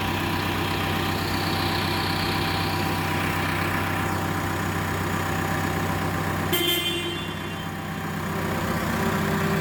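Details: Caterpillar D3K dozer started during a daily pre-use check (P2H) after confirming the dashboard warnings clear: deep, steady diesel rumble at idle, broken only by a short horn toot, running even with no knocks or misses. Normal idle.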